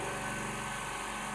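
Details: D KIEI 50-litre "silent" air compressor filling its tank: steady, fast pumping hum at even pitch, no rattles or squeals; owner calls it fairly quiet. Normal running.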